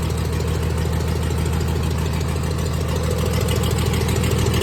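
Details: 1996 Dodge 2500 diesel idling cold, still burning off oil after turbo failure: low heavy clatter pulsing about 200 a minute, slightly uneven; shakes and idles rough cold with a tick, smoother once warm.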